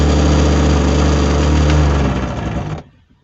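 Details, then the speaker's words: Mitsubishi Montero, around 2000, AC ventilation switched on with ignition on: a loud, rough droning buzz with a rattle pulsing about three times a second from the blower motor under the passenger side; began after a trip; worn bushings. "vamos a encender la ventilación y se empieza a escuchar un [Música] ruido el motor del"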